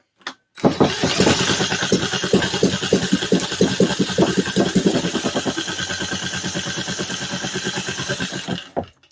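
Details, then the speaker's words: Vintage 1950s-60s Briggs & Stratton, sat 10+ years, with carb cleaner: irregular pops and sputters about two to three a second, never settling into a run; owner thinks it's bad gas. "Yeah, I think that's what it is. I think this is bad gas."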